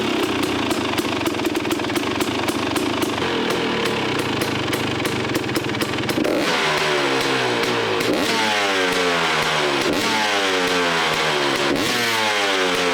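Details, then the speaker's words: KTM 250 XCW two-stroke after fitting an FMF exhaust pipe listed for a 2018 XC: sharp crackle at a steady idle, then quick blips that climb and drop cleanly with no stumble. Healthy, maybe slightly louder than before. "I was able to get it to fit sounds pretty good it's actually maybe just as loud a little bit louder you guys can judge from the before and after"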